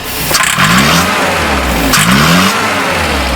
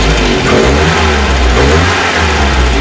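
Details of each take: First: 1968 Commer 2500 van: two throttle blips where revs climb hesitantly and sag before picking up; slow acceleration is fine. Timing checked okay, so it needs more fuel on acceleration. Lean bog on acceleration. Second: 1968 Commer 2500 van after the carburetor was reworked, the air filter fitted to restrict airflow and the timing adjusted: quick throttle blips pick up cleanly and drop back without stumbling. Idle still high, about 1,000–1,100 rpm. Clean throttle response, a big improvement.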